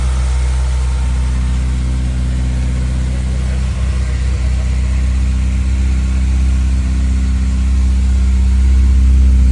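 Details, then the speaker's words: Honda S2000 CR with only 532 miles, not run for 10 years, first start after wiring repairs, new parts and a fresh belt: smooth, even idle at about four pulses a second, pitch creeping up, no ticking or knocking; healthy. "Wow. That's what they're supposed to do. 532 miles."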